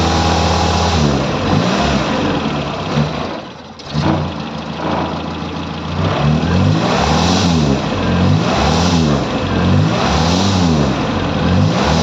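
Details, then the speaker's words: Morris Minor engine, off choke, bedding in new rubber engine mounts with the mounts loosened; revved up and down repeatedly in swells to shake the engine, settling to an uneven, lumpy beat between blips; rough running. "It's still running a bit lumpy. I revved it and popped it a couple of times, so it shook the engine about."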